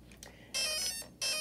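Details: DRK 160 electronic speed controller switched on: a short chirp followed by two clean, high-pitched beeps, the normal power-up tones of a healthy ESC.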